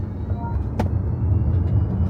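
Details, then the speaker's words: 2026 Kia PV5 Cargo electric panel van, pre-production model, at 60 mph and above: thin, constant high-pitched whine over road and tyre rumble. Source not pinned down; unclear whether it is a fault. "If I'm going about 60 mph plus, I'm getting this high pitch whining noise. It's constant."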